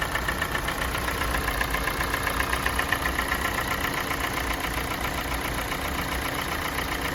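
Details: Kia Sportage 4G 2017, G4NA engine, 265,500 km, idle while warming: light regular ticking knock about four per second, absent at cold start, growing with warm-up; owner thinks not piston slap, cause unknown.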